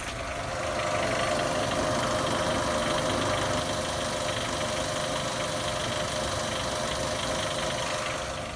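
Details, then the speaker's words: 2015 Nissan Almera G15 at 111,000 km, heard from left and right sides: light loose metallic rattle three to four a second at idle, like a loose nut, gone at higher revs, not the clutch. Worse after an oil change; owner suspects cylinder 1 hydraulic lifters; rattle at idle. "Немножко задолбал звук болтающейся гайки где-то в двигателе. Думал, что сцепление, но это не то."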